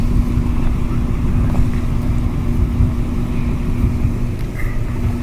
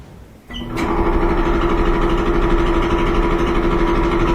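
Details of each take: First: Kenmore gas dryer after replacing drum support wheels: smooth even drum rumble, steady low tone, no clicking or thumping; previously loud clickety noise now gone, runs like new. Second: Loud Kenmore dryer running with a droning rumble and uneven thump about three times a second; support roller wheels suspected at first, but the cause was a worn, out-of-round idler pulley.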